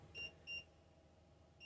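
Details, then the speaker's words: PECRON E3600LFP power station running about 1,500 W on a 2,000 W-limit inverter, overloaded on purpose by adding a load: instant fault with three high, piercing beeps. Cleared by turning off the output and resetting. "This is going to make it fault. As you see, it instantly, you see that? Now you hear the beeping."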